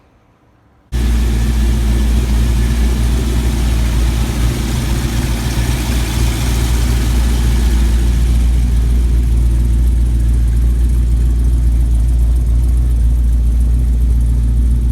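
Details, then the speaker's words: LS V8 cold idle after switching from 7.400" to shorter 7.350" pushrods, Speed Pro lifters, Elgin 1838p cam, 5w-30 oil: steady low idle with faint even injector tick and no rocker clatter; valvetrain quiet, not yet warmed up. "What's going on, but it sounds quiet. Like the rocker arms are, you know, to me I can hear the injectors more than I can hear the rocker arms, but like I said, it's not warmed up yet"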